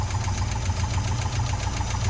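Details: 1971 International 1210 pickup sat 30 years, started with fresh fuel and no coolant: rough idle with a steady quick clacking knock over the low rumble; engine sounds really weird, cause not yet found, so it was shut off.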